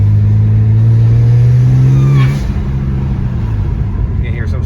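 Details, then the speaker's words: Whine heard while driving a 2008 BMW 335i E90 (N54), repossessed car bought with 7 check-engine codes; steady low droning tone over the engine that drops away as throttle eases; source unknown, owner plans to check it. "whining or something i don't know what it is i have to check it out"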